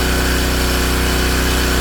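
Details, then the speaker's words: King Canada Powerforce 1500W generator at proper temperature, after governor linkage readjustment, voltage set to about 121 V, running a load on low (high setting runs out of horsepower): steady, even buzzy drone, no hunting or surging. "I put it on high. Can't do it. Runs out of horsepower. But that's okay. It's running it just fine as it is."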